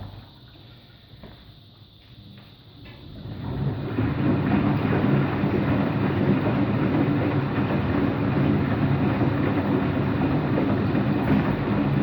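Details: Washing machine on rinse and spin with an empty drum: quiet start, then a deep, rough roar builds as the drum spins up and stays; owner suspects both the motor bearing and the drum bearing are bad, no leak seen.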